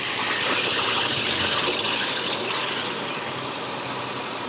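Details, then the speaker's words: 2002 Nissan Xterra 3.3 after fuel pump replacement, with a P0300 code present for weeks: restarted right away and idles fairly nicely, even with a light regular tick about four per second, no misses or hunting; normal idle. "but it is idling fairly nicely though"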